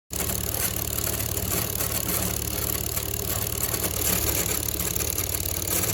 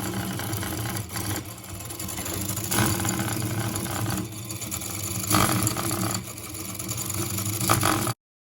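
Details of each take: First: Homemade Lego-style model engine after 24 hours nonstop running, gear mount reinforced to stop limping: fast steady plastic clatter about three beats a second, no skipped strokes; running smoothly. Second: Same engine at about 2:27 am on an overnight endurance test, limping badly with an irregular, lurching beat and brief dropouts; it began limping near 11 pm, and the fault is in the gear, not the piston. Uneven running from a gear fault.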